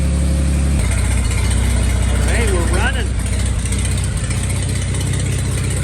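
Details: 1941 Dodge half-ton pickup, first run after 39 years sitting, with the carb cleaned, a 6V battery on a temporary clip wire and a temporary fuel system: the engine catches and settles into a steady, even low chug with no knocks or misses, a healthy idle. It ran about 10 minutes.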